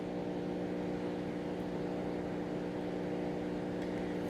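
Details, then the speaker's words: Corona discharge on an energized high-voltage lab transmission-line conductor at about 63 kV RMS, heard through a radio as a constant buzzing hum with hissing over it and no change in rhythm; radio interference from corona. "so I'll take you to the radio insurgency there's a noise see there is clear noise maybe you can hear this hissing sound on the transmission line"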